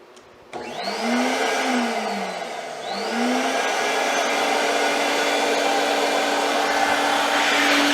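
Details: Myteelite II 8070 carpet extractor after repair: spins up to a smooth, steady high whine held evenly, no grinding or rattle; repair fixed it.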